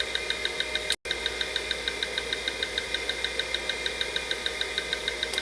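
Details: Late-1980s 5.25-inch full-height Maxtor MFM drive on a 286 running a read-verify surface test: quick, even ticking about three per second over a steady high hum, normal head-seek chatter; two defects found, motor transistors warm.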